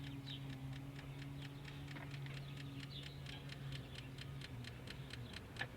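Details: 2000 Infiniti I30 that won't start: light even ticking about four per second from the transmission area over a faint hum with engine off; source not pinned down.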